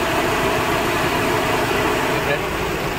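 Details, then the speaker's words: Maruti Suzuki Baleno with check engine light, vibration and low pickup; idling rough with a recurring skip and the whole engine shaking, misfiring enough to topple a glass of water. Cylinder misfire. "देखिए कितना engine missing कर रहा है ल रहा है पूरा engine ये देखिए देखिए ये देखिए कितना मिस फायर कर रहा है"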